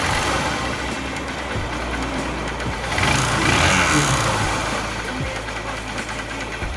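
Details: 2008 Honda CG 150 single-cylinder motorcycle: steady knock, about three per second, sharpening as it revs; cam chain already replaced but knocking continued; identified as connecting rod knock.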